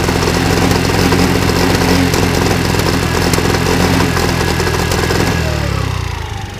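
Small two-stroke buzzing and revving hard with ragged, popping irregular firing through the exhaust, then dropping off; backfiring, cause unknown.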